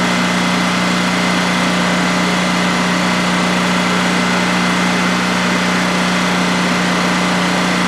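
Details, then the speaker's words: New DuroMax XP15000HX generator in a shed, second start-up on propane with the exhaust fan off: a smooth, unchanging drone holding steady speed with no knocking, surging or rattles over a 5-minute run. Normal healthy idle. "and that was a a 5 minute run to see how it's just make sure everything is running well and everything is running well no issues"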